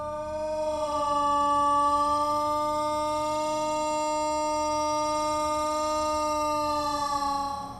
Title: thunderbolt with bad bearings struggles to warn his community 😥😥😥